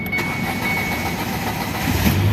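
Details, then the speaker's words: 2017 Ford Figo that cranked but wouldn't start, after replacing a part whose filter was fully jammed with debris: brief crank, catches straight away and settles into an even, steady idle with no misfire. Normal start after repair. "ये हमारी गाड़ी start हो गई। बस इसके में मुश्किल था प्रॉब्लम थी बस तुरबा की। तुरबा नया लगा दिया।"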